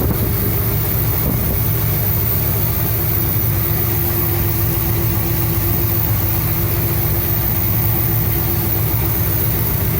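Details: 1975 Cadillac Fleetwood V8 idling under 10 minutes during valve cover gasket replacement, checking oil reaches the top end; oil seeps onto the headers, making smoke. Steady, even deep rumble with no knocks, misses or ticking; normal idle.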